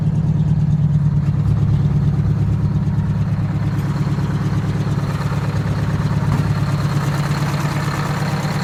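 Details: Detroit 8V-71 two-stroke diesel in a 1969 International 400 dump truck, air-started because the cracked flywheel housing prevents using the starter: it idles as a steady, deep, even rumble, no knocks.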